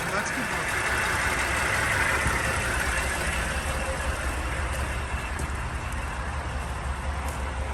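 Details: 2007 Dodge Sprinter diesel at idle, hood open, smoking badly: an uneven, lumpy chug about three times a second over steady clatter. Fresh liquid is visible around the engine, consistent with a leaking fuel injector seal.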